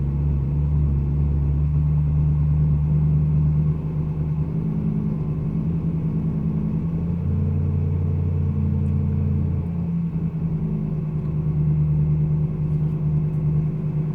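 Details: 2012 BMW M3 E92 V8 at idle: deep rumble that wavers and hunts in pitch instead of holding steady; rough idle, cause not identified.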